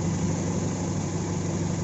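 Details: Toyota AE92 with AEFE engine, after a hard-starting problem was fixed: steady low idle with an even, unbroken hum and no misses, knocks or stumbles; runs smoothly.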